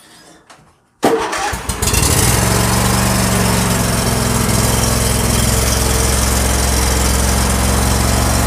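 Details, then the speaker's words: John Deere L111 automatic riding mower after carburetor cleaning, owner suspects fuel pump going out as fuel filter not filling completely: quiet, then catches after a second and settles into a smooth even putter; starts and idles normally. "It's super easy to do, but it does run good, and you could cut grass with it right now."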